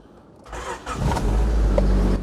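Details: Mid-1990s Rover 400 Tourer, first start after about a year parked because of a slipping clutch; fuel pump primed first. A brief slow crank, then it catches within a second and settles into a low, steady run.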